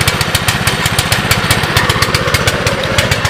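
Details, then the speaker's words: 2006 Baja Warrior single-cylinder after cold start, choke off, seemingly low mileage: lumpy, slightly uneven idle with soft, blubbery exhaust, no clangs or bangs; running a little rich, carb rebuild planned. "yeah she's definitely running a little Rich there worst comes the worse throw a $25 carb on it"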